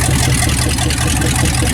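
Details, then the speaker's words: 1967 Dodge Dart, sitting 5+ years, first run: deep, loud, raspy rumble with an even beat at steady idle from an unmuffled V8 on open headers. V8 running with open headers. "that's what it sounds like with open heads she's running"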